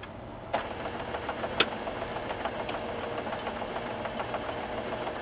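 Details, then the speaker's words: HP LaserJet 4P printer after replacing the broken drive motor gear: steady even mechanical whir, quieter, with no clicking or grinding; normal drive operation. "quieter no clicking ready to go"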